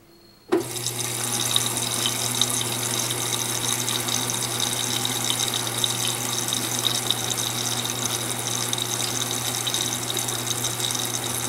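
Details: Electrolux Silent Control 12 kg (LAC12) washer on Normal program with Silent Cycle function, light-clothes load, low water level: a steady rush of water with a low constant hum from the inlet valve, even and uninterrupted. Normal fill at cycle start.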